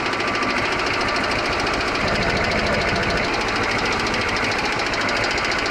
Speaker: Well, that sounds wonderful. Those old diesels, they just click and clack away.